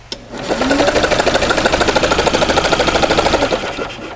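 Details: 1945 Onan generator cranking with spark plugs out, good spark and about 20 psi oil pressure: quick even compression pulses around twelve a second, steady rhythm, no missed beats; healthy cranking.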